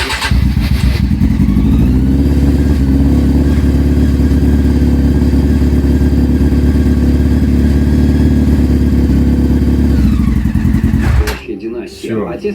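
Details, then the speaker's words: Motorcycle; engine runs a steady low beat about ten seconds then cuts out abruptly; idles but stalls as soon as throttle is opened because fuel isn't drawn to the carburetor; priming with fuel pump keeps it running. "Заводим мотоцикл, он заводится, работает по-разному и глохнет. Даешь газу, сразу же глохнет. Не даешь газу, работает."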